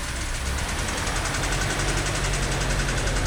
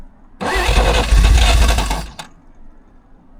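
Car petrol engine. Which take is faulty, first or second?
second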